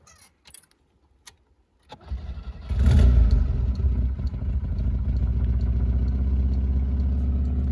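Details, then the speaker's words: 1971 Fiat 124 Sport Spider, not yet at operating temperature, cranks and catches into a loud, raspy, chuffing idle around 1,000 rpm. The exhaust manifold gasket has a hole (owner says possibly the donut gasket instead); it is normally quiet. "Fair warning, it will be loud because of that exhaust manifold gasket, but that's a relatively simple fix."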